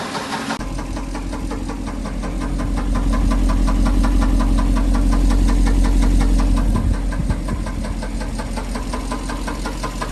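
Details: Mercedes S500 W140: sharp, regular knocking about three a second over a heavy low idle, swelling and easing with revs; engine knock.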